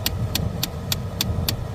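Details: Dodge HVAC blend door actuator ticking during calibration, with the ignition in accessory and the fan on: six sharp clicks about three a second over the low blower hum. The ticking comes from uncalibrated climate controls.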